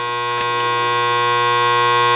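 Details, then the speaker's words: Pinball lock relay with a new coil fitted (old coil's plastic broken). The energized relay gives a loud, constant mains-frequency buzz with a harsh, raspy edge as it chatters against its armature instead of holding quietly. "is this Armature as this part this actually moves right now it's on so this coil is become an electromagnet sucking this Armature in up against it"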